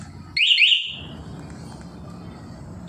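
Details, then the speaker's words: Yamaha R15 with newly fitted remote-start alarm and neutral-only start safety: two quick rising alarm chirps as remote start is pressed in neutral, then engine starts and idles low and steady; working normally. "Oke. Ternyata bisa ya, motornya sudah bunyi dan dalam posisi netral."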